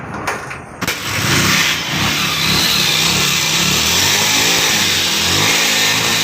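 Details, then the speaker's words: Bajaj Pulsar 150 DTS-i engine started and revved with a harsh, tinny rattle riding over the exhaust note throughout the revs; owner dislikes the sound, earlier repairs at other shops failed; source unconfirmed. "करके रा झर झर र झर कर रहा है तो इनको यह साउंड पसंद नहीं है"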